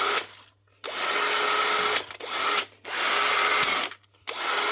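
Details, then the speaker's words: Bosch GSB 18V-21 cordless drill with a new motor; fresh brushes may spark at first, which is normal. Short bursts of a steady, even high whir with a faint fixed tone, stopping and starting cleanly: healthy. "That's him. One wee cheapo Bosch drill with a new motor."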